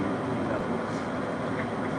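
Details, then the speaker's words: Nortek 80 low-NOx sealed-combustion furnace in a basement, running again after it had stopped and would not ignite: a steady, even rush of air with no roar, rattle or surging, far quieter than its usual jet-like roar. Normal furnace operation. "It ain't never been that quiet for a while. It usually sounds like a jet's about to take off out of the basement."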